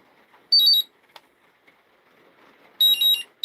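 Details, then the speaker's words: Hobby charger set to 1S connected to a nearly flat, low-voltage battery pack: two sharp bursts of high-pitched beeping as the charger refuses to charge the deeply discharged cells. "I'm going to try her off at 1S to see if she recognize it first. She might go broken connection. Nah, she does. She doesn't want to do it. She says no."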